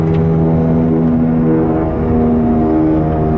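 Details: Car cruising at about 80 km/h (50 mph): a loud low droning growl whose pitch drifts with road speed, from a bad driver's-side front wheel bearing, confirmed by jacking the car and spinning the wheel; the owner first blamed the tires.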